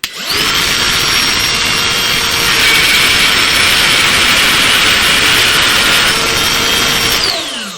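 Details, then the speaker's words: Borrowed Ryobi cordless router cutting pine a full 1/4 in deep for sign carving. Loud high-pitched whine with rough chattering edge throughout cut, unstable; owner suspects collet design, possibly a defective collet, unsure. "You hear that sound, guys? That is not a sound of stability, let's just say. Now, it cut. That sound makes me really nervous."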